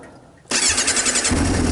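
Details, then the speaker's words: Used salvage-title motorcycle with almost 10k miles, cold start with choke on after sitting a couple of months with stabilizer in the fuel: brief starter whirr, catches within a second and settles into a steady choke idle; normal cold start. "Look at that. Start right up. I don't know whether to take the choke off or not."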